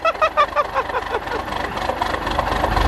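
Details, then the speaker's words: Cold-start diesel truck with a leaking fuel filter housing O-ring, not plugged in, 15W-40 oil, chilly weather: idled up after a hard start, rough lumpy irregular knocking idle that slowly smooths. "okay well so I got it idled up a little bit she's sounding a little better now just kidding sounds like [ __ ] and this is sound good at all actually"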